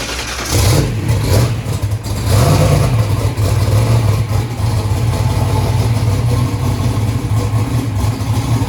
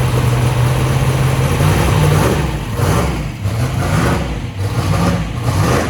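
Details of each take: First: First start of a 2500hp 427ci turbo small-block Ford race engine, being warmed up (82 psi oil pressure): loud lumpy V8 with an uneven beat and wavering idle; number three cylinder not sparking, a misfire from no spark. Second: 2500hp 427ci small block Ford V8 race engine on first start-up, after refitting a loose spark plug wire: deep lumpy idle with gentle blips, firing steady and even, running well with EGTs working.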